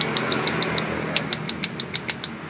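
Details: Scooter with a CVT: sharp, evenly spaced metallic clacks about seven per second, easily mistaken for a connecting rod or piston knock, point to rattling clutch shoes (kampas ganda).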